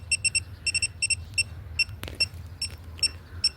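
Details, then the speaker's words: Air conditioner condenser, unit suddenly stopped cooling: leak detector passing the brazed copper-to-aluminium joint gives quick shrill beeps, two to three a second in bursts; refrigerant leaking there, showing at pressures above 5 kg. "냉매가 떨어지면 여기 보시다시피 자 이연부 소리가 나죠. 여기도 이연부 그죠? 소리가 나죠. 이 이연부에서 리크가 생깁니다."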